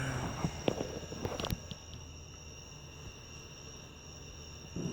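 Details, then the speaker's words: Davemade 16-pill amplifier under repair: a faint, steady high-pitched beep from the capacitance meter across a shorted metal-clad capacitor, showing a short; the part was replaced. "what happens when you have a short, and you can kind of hear it beeping a little bit. It's not real loud, but it's just showing that there is a short in the wires."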